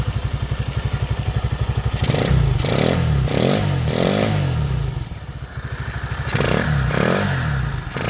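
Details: Motoland 166FMM (165FMM) 250cc single-cylinder engine, first start after repair: fires in an even, steady idle beat, then revs up cleanly in crisp blips and settles back; runs healthy.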